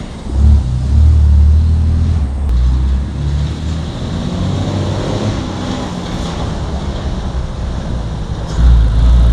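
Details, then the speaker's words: 1955 Plymouth Plaza two-door wagon whose engine was locked up and sat 42 years in a Texas field, first drive attempt: low, uneven rumble with a loose, unsteady idle beat; kept dying in gear, owner suspects brakes too tight; oil and antifreeze leaking; rough running. "In 42 years. She was a little sticky, but she's coming out of it."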